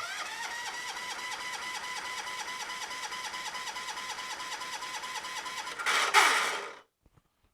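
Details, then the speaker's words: John Deere 214 garden tractor after starter wiring was corrected, choke pulled and throttle up: fast, uneven whirring starter cranks about six seconds without firing, then a brief burst and silence; starter sound is suspect; cranks but won't start. "get that throttle up that other way let's see what she does really don't like the sound of that starter"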